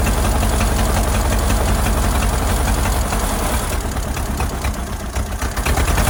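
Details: Ford Model AA doodlebug (cut-down farm truck), old four-cylinder, running: deep, lumpy idle with an uneven beat around 220 pulses a minute. Shorting plugs with a screwdriver shows cylinders 3 and 4 at the back misfiring; owner earlier suspected a stuck-open valve.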